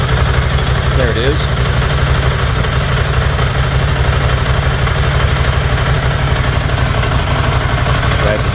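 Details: 2016 Ducati Scrambler from a total-loss insurance auction, being resurrected: low, even thumping idle at a steady beat with no misses, knocks or ticking; idling normally.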